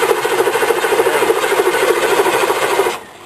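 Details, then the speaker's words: Diesel vehicle on a cold, damp day, test crank without glow plugs: sluggish, labored cranking about three turns a second, not firing; slower than the Suburban; owner suspects the starter and will pull it, battery was just charged. "by cranks see what I mean compared to the Suburban I'm going to pull that starter I don't like it"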